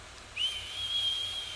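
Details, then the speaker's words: ASUS TUF Gaming A16 laptop with AMD Ryzen AI HX 370: not as loud as some big gaming laptops, but a thin, steady, high-pitched whistle over a faint hiss, blamed on ASUS's aggressive-teeth fan design, while the laptop still runs cool. "So it's not as loud as some other gaming laptops, some big boys, but there is a little bit of a pitchy whine."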